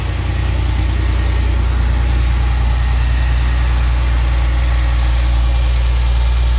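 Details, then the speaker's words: 1997 Porsche 911 Carrera, started indoors during an inspection: fires right up after an alarm is cleared, deep steady flat-six idle with even low rumble and no misses, ticks or knocks; runs well. "fires right up with no issue here we go here we're going live [Music] here we go nope okay there we go there was an alarm on so i had to do that but it does run runs well"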